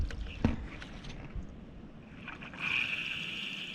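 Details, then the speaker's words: Maple sugarbush vacuum tubing, main line three, at spring startup: quiet until the valve opens, then a steady airy hiss of air drawn in through a leak on the line. "if i can hear wind like i shh then i know i have a leak and uh and i hear it so somewhere along this main line this would be line number three we have leaks"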